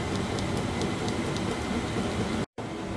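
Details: Vevor all-in-one diesel heater (4–5 kW) in a 2011 F-150 truck bed canopy, after turning the fan speed down in the settings: steady, even airy rush with faint regular ticks and no roughness or grinding, running smoothly.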